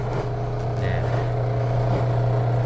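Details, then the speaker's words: 14 kg drum washing machine: steady low drone with a rough, boiling grind; a worn bearing in the lower drain pump motor, and replacing the pump made it quiet. "하단부에 펌프 모터가 베어링이 나갔거나 이상이 있어서 이렇게 소리가 납니다."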